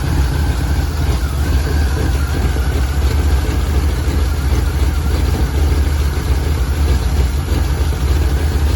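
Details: 1949 Ford Shoebox engine, converted to 12-volt, running rough and smoking with a heavy, loud, uneven lumpy rumble instead of a clean steady beat; rough running.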